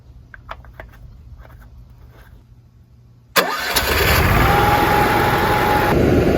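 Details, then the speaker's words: Onan QG 5500 RV generator, started after an oil and filter change with only part of the oil added, to circulate it: a few quiet clicks, then it catches and settles into a steady, even drone with no knocks or misses. "Is put the cap back on, and we're going to start it up and let the oil circulate a little bit, and then see if we can add the rest of it."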